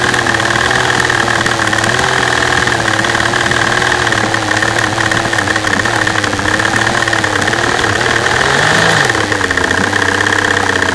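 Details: V12 idling with a bad misfire, camera at the fuel rail over cylinder A3: wavering, uneven beat under steady tapping that is just normal injector noise.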